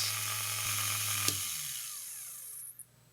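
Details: Vintage Elson watchmaker's lathe brushed motor, cleaned and rewired, first power-up via inline switch: high whine spins up, holds briefly, coasts down in falling pitch after switch-off; runs freely.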